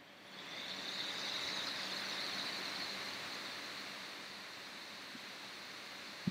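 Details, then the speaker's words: Intel MacBook Pro fan set to maximum via smcFanControl, about 4,100 to 6,000 rpm: airy even whoosh with faint high whine swells then holds steady; normal full-speed fan. "it's 4,100 to 6000 rpm I think now you can hear the fan noise"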